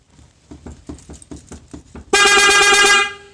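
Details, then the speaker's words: Aftermarket car alarm triggered by touching the car during front-end work: quick pulsing chirps build into a loud steady horn-like wail, reactivating about every 10 seconds; alarm activation. "this thing's got an aftermarket alarm and this thing is super loud and annoying you do any little to any little thing to the car and it says alarm off"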